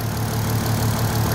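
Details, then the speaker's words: VW Golf R32 cold after sitting, after a weird noise on revving owner thinks is something loose or broken at the front: steady, even low-pitched idle with smooth pulse, no rattle or ticking; clean idle. "something was weird then that's not going to be the noise that's just that's just loose or broke at the front I'll tell you what that sounds mint"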